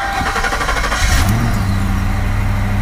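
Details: Mercury Grand Marquis that had no-crank, no-start trouble for two weeks. The starter was replaced and a PATS delete was done. Here the starter churns briefly and the engine catches within about a second, settling into a steady, even idle with no misses or knocks.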